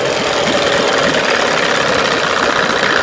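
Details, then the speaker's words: 1992 Evinrude 15 HP two-stroke outboard, checked for slipping out of gear (shift linkage): a fast, even buzzing beat with no missing or uneven firing, steady until it cuts off; it is running cleanly. "As you can see, she runs great."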